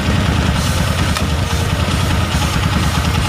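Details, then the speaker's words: Honda Tiger single-cylinder motorcycle after repairing an intake leak at the carburettor/intake manifold (symptoms were exhaust backfire, hard starting, slow-dropping rpm, dying on throttle): steady even idle while water is poured to check for leaks. "Mesinnya sedang idle, sekarang mari kita coba menuangkan air seperti sebelumnya."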